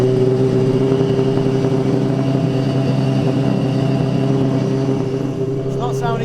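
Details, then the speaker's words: £21,000 635bhp Nissan Silvia S15 drift car started after rebuild work (radiator had holes): lumpy, uneven idle, sounds like running on about two cylinders, and no drive; cause not yet found. "good is it sounds like death sounds like it's running on about two cylinders there's still problems with it"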